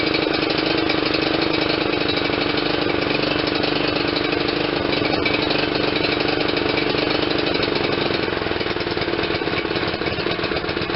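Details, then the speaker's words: John Deere LT160 with Kohler CV460S single-cylinder 460cc engine, after the aftermarket carburetor replacement, thumping with a slightly uneven, lumpy beat and no clear misses. It is still over-fueling (running rich) because the choke was stuck. "sharp eared viewers will hear that it was definitely still over fueling and I says what in the world is going on well this is your choke it was stuck the way I had had fished it it was stuck on something"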